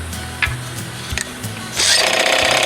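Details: 1975 Johnson 4 hp outboard after fuel pump replacement, started by hand with no choke: a few pulls and knocks, then the small two-stroke catches and settles into a fast even buzz; running fine.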